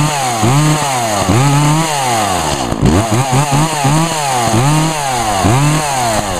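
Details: Echo chainsaw (2012 Echo CS 400), owned almost four years and run on ethanol-free fuel; a crisp two-stroke snarl climbs and drops cleanly through several quick throttle blips, with no hesitation or bogging. Normal healthy revving.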